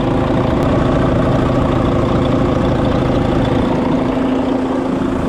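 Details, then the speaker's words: 2020 Volvo VNL 760 semi truck, first start in years after rebuild with new 925 CCA batteries: steady, even diesel idle with low rumble, no knocks, misses or surges; exhaust smoking slightly, but engine sounds healthy. "alrighty she started and didn't blow up so that's uh that's a start"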